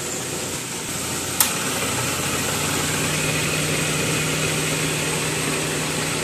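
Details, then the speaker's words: Car at idle with AC compressor bypassed to run directly, previously rough noise and poor cooling: click as clutch engages, then a rough grinding drone; AC compressor internal bearing wear. "compe saya bunyi kasar Bro uh saya cuma Bypass untuk running X compressed uh saja"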